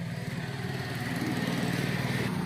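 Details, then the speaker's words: Honda TMX 125 single-cylinder with new spark plug, ignition coil and CDI, still stalling when throttle released, no backfire: uneven stumbling idle with missed pulses; misfire from a very dirty carburetor. "Ayan halos general over tayo sa karburador dahil napakadumi na po niya Linisin natin siya para mawala po yung palyado"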